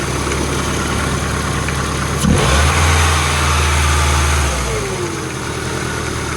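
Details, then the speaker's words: Old Ford engine before parts swaps: idles, then revs jump and hold about two seconds before dropping back unevenly; unstable revs, owner suspects a vacuum leak, injectors also to be changed. "see how the Reds hold up hover vacuum leak or what"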